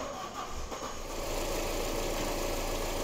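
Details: 2002 Passat after replacing the number four fuel injector for a misfire and injector circuit code (plugs, coils, valve cover gasket already done): after a brief bump, steady even idle with no stumble or skipped beats; normal idle.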